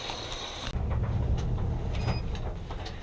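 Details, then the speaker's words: Whirlpool Duet Sport washer after freeing a seized drum and fitting a new belt, drum turns with a steady low rumble, a few light clicks, no scraping; spins freely and sounds healthy. "all right so i just finished second load of laundry in here as a test and it's working again drum spins pretty good"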